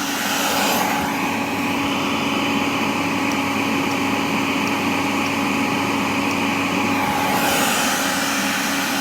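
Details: Miele Revolution 5000 vacuum after repair, brush roller on: even high-pitched whoosh with a steady motor tone, no grinding or surging. Working perfectly; the relay click is audible when the roller switches on.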